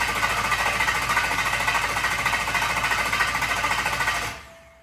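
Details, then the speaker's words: Engine cranked on the starter for 5–10 seconds to circulate freshly filled transmission fluid after a trans swap; a light metallic ting-ting tick rides each turn, suspected from a flywheel bad spot (unconfirmed). "I think I can hear the noise coming from that flywheel. What noise? I can hear like a little. Ting, ting, ting,"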